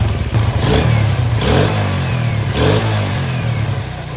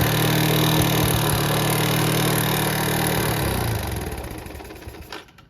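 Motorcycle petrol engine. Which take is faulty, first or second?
second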